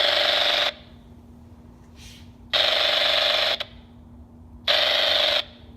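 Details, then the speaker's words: MGL Discovery Lite EFIS in a homebuilt aircraft, screen facing the antenna, radiating interference into the MGL V6 VHF radio: loud hiss bursts about every two seconds break squelch on an empty CTAF channel; later fixed by added grounding and shielding. "something is really noisy inside that system and I think whatever it is if from some angles the metal housing is preventing the signal from radiating but out the front of the screen here it appears to be a pretty clear shot and of course that is pointing right on my radio antenna so that's not good"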